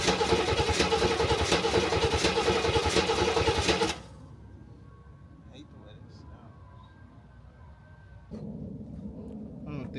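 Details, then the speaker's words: C3 Corvette just after stretched timing chain replaced, oil added, no coolant in system: about four seconds of fast even cranking without firing: crank no-start. "got no gas y'all got to let the battery all right"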